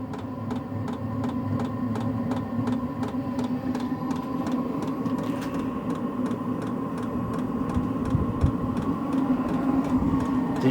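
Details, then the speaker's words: Start-up of a new, never-run HCALORY HBH2 5L 8kW diesel parking heater on 240 V: steady fan hum with fuel-pump clicks priming the oil and purging air, then a low combustion rumble from the exhaust as it fires normally. "This hasn't been ran, so it probably take one or two times to get the oil circulating to get any air out of it before it actually fires up. You can hear the pump clicking there. It's starting to fire up. You can hear the exhaust."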